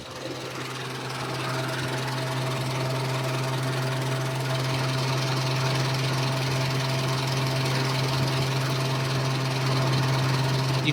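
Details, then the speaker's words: Nissan Be-1 while adjusting base ignition timing with the vacuum advance removed and plugged: low, uneven idle shaking about three beats a second, as if it wants to die; timing suspected too far advanced, then set back. "see how like the engine starts to shake like it wants to die. It's too much."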